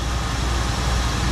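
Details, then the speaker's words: 1974 Ford Bronco carbureted engine after replacing both fuel tank senders and getting fuel to the carb: steady, low, even rumble at a fast warm-up high idle, no knocks or misses; smooth and healthy, oil pressure and charging good. "High idle. That's what we needed right there. Woo! Boy, it fought us dudes and dudetss. But what a smooth running hot rod this thing is now."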